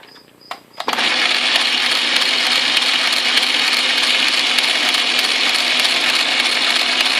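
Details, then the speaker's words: Atlas QC42 lathe gearbox mid-repair, test run with change gears engaged in reverse: busy high whir with gritty, crumbly clatter about three times a second; too much play between gears, the shifter index plate needs adjusting. "this is a little too much play up here which means I need to adjust the gear face the index face here"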